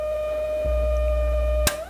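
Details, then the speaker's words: 1951 Zenith Cobramatic in phono position at first power-up: a steady, piercing siren-like whistle near 600 Hz, then a pop and fall-off at switch-off. The pickup-head coil's oscillator has drifted and needs retuning. "Let me turn it off and tell you what's happening. Keep in mind that when the radio is in phono position, this coil that's in this head forms an oscillator, and there's an oscillator tuner for it right,"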